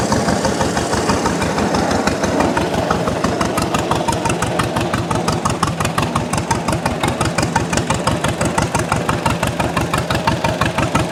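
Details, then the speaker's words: 1929 John Deere GP two-cylinder tractor at its first start-up: slow even popping around three beats a second, settling steadier as it runs and warms, possibly burning dirt off the shield; normal running after warm-up. "the more it runs the better it sounds the more it runs the better it sounds"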